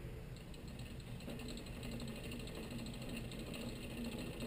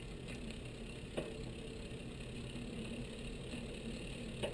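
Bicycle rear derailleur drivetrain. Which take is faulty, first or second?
first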